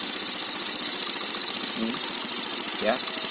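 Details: Honda Spacy fuel-injected scooter, erratic when throttled, dirty and slightly wet idle-air adjuster, TPS suspected: high buzzy idle with uneven pulses about two a second that hunt and stumble; rough, unsteady idle.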